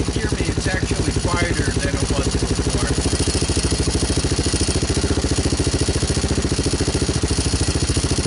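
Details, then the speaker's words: 2002 Yamaha Warrior 350 ATV with new DG muffler, new battery, gas line and filter: single cylinder running steadily with a deep, throaty exhaust note and even firing; normal running. "like i actually like the sound of it it sounds deeper throatier whatever you want to call it"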